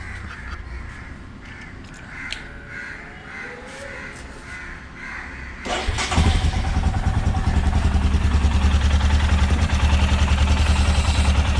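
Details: Royal Enfield Himalayan after exhaust manifold gasket replacement to fix abnormal engine noise and backfiring: after it fires up, an even single-cylinder thump settles at about three beats a second with no ticking, popping or misses.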